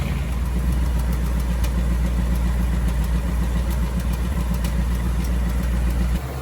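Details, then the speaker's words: 2018 Ford Mustang GT V8, about 6000 miles, on Mobil 1 10W-30, idling: light fast tick about three or four per second over the low rumble; the known engine tick, cause not confirmed. "so we're gonna back it out and i'll start it up and you can listen to the ticking noise"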